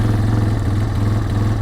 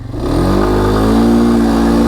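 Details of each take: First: 2022 Polaris Phoenix 200 single-cylinder quad, after the induction leak letting extra air in front of the carburetor (lean, hard starting, rough idle) was addressed: steady, smooth, even idle with no stumbling; slight backfiring remains from the induction design. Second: 2022 Polaris Phoenix 200 ATV that has had trouble starting, idling and accelerating since new; revving from a standstill gives ragged popping and misfiring through the pull until speed builds, with intake backfiring.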